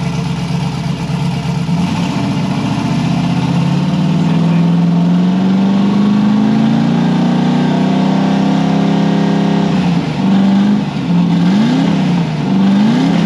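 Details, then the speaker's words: Nissan S13, revving up and down with an uneven, stumbling exhaust beat; one cylinder still missing despite plug checks, plug found wet; injector, plug or cam suspected, unconfirmed. Engine misfire. "Still sounds like it's missing a little. A little bit. Unless it's the cam."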